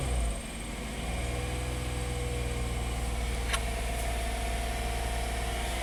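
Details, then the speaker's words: 2016 Hyundai Santa Fe just after replacing broken GDI injector #5 with new OEM part: steady smooth idle, no knocks or misses; normal idle. "Okay, runs smooth, that's good. We'll probably start smoking quite a bit."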